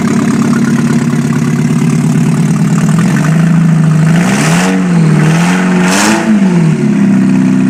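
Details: 1991 Mazda Miata MX-5, first start after full engine rebuild, open header test: runs evenly, blips up and down in a few clean revs, settles to a steady idle; healthy and crisp.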